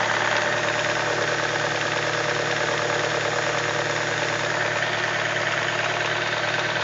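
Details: BMW E46 318i at idle. Even idle with a busy, fine rattly ticking riding over the engine hum. Owner asks whether anyone hears something strange; source unknown.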